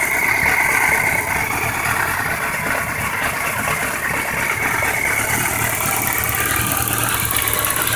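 Motorcycle four idling with an uneven light ticking and occasional duller knocks over a busy mechanical clatter; cause unclear.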